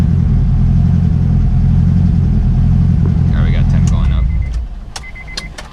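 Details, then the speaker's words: Turbocharged Honda S2000 on stock internals, deep rev with a fast light rattle fading as revs drop; noise thought to come from the head, valvetrain or timing chain, owner plans to replace the tensioner; rattle when revving, cause unconfirmed. "yeah it's more or less than noise a little rattle so gonna swap out that tensioner see if that fixes the issue"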